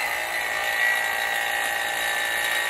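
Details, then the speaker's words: 2017-21 Honda CR-V AC system after compressor and condenser replacement: the vacuum pump runs with a steady, even high-pitched hum, evacuating both gauges toward -30 inHg before R134a recharge. Normal vacuum pump operation. "right pump is on open up both these gauges you can hear the pump starting to work"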